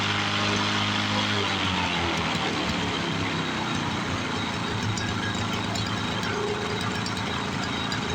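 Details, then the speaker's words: 1986 Toro push mower with Suzuki two-stroke engine, after carb work: steady even two-stroke drone at constant speed with no misses or surging; runs like a two-stroke should, though it needs a new air filter. "yeah it sounds like a two-stroke should"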